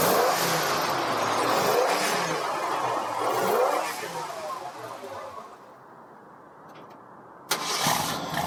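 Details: 1952 Ford pickup with Ford 351 Cleveland V8, automatic with floor shifter, raised motor mounts, new fuel pump, driven maybe 40 miles: catches promptly, revs rise and fall smoothly, settles, then sharp blip; running strong, no misses, normal.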